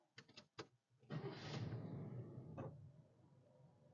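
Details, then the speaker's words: 1973 Chevrolet Chevelle after correcting a wrong firing order that caused rough running and backfiring: short cranking bursts, then catches and settles into a steady, even low rumble. "I mean it's night and day different right now and backfiring I mean totally smooth"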